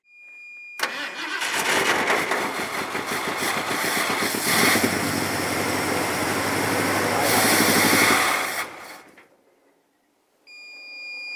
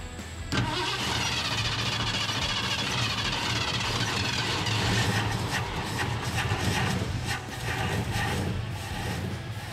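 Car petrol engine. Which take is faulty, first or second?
first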